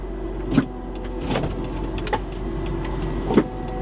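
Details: Vehicle at rest during auction walkaround, transmission whine noted earlier: a few soft motor hums and thuds as both power sliding doors travel and latch, operating normally, hazard lights apparently come on automatically.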